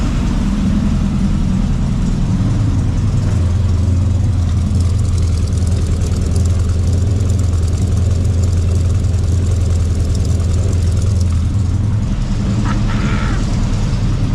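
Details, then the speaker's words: Carbureted Chevy C10 with a 454 big block after the carburetor was cleaned of sand and worn plugs were found, warming up. A deep, even rumble holds a steady idle with no knocks or stumbles: normal warm idle. "Letting it warm up, kick down off idle, and see if I could wrap the throttle, man."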